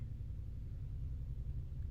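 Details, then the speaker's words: Deep, steady low rumble with almost nothing above it, heard from downstairs: an upstairs neighbor's washing machine running nightly, vibrating windows and bed. "My windows are vibrating. My bed is it's vibrating every night. every single night."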